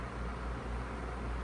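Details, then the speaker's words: Feature Comforts FT30-3D table fan, needing a clean, on speed 1 (low): smooth, even airy whoosh with a soft, steady low hum, no rattle or ticking; runs normally. "Then we put it on speed 1. Alright, so that's speed 1 there."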